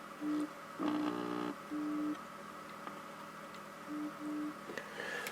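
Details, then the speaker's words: Zenith 6D-525 tube radio at full volume, no line cord fitted yet, after freeing a jammed dial spring: faint tone bursts and low hum over quiet hiss; very weak audio output, cause not found. "I got the volume all the way up, and it's still very weak. Can just barely hear"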